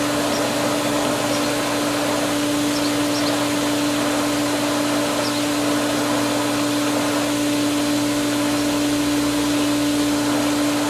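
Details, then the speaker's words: Pool pump at spring opening, skimmer valve being opened fully: constant motor hum with hissy rushing as air still comes through the suction line; pump grows quieter once flow establishes. "still a lot of air coming through here but let's give her some more like all the way more and there we go now we're moving and the pump is quieter"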